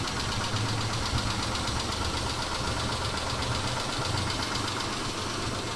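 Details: 2000 Mitsubishi Montero Sport, cold start idle: fast, even rapping knock from inside the engine over a rough rumble. Owner says it doesn't sound like hydraulic lifters and it fades after 3-4 minutes of warm-up; cause unknown.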